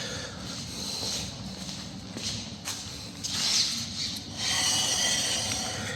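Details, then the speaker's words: Land Rover Discovery 3, raised and wheel hand-spun: harsh scraping hiss rising and fading each turn; pad looks low and disc has a lip, metal-to-metal noise from worn brake pads, owner reports intermittent noise. "that's definitely noisy sounds like metal to metal little bit of a lip on that disc"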